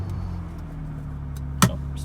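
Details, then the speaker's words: 1998 BMW E36 M3 sedan, five-speed, ECU tune, Dinan carbon intake, intermittent starting issues: starts and settles into a smooth, even low idle with no misses or knocks; normal idle. "yeah I'm just gonna start it up now and move it there cuz I have no other room for this car"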